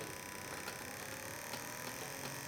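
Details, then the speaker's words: 1984 Sanyo TRC6000 microcassette recorder drive motor, run unloaded on a bench supply at about 1 volt: thin high whir with uneven scratchy buzz and irregular ticks; sounds rough, likely just rubbing on bottom bearing. "I've connected the motor directly to a power supply just so I can spin the thing and clean it. It sounds terrible. I hope none of the belt gunk's gone into the bearing."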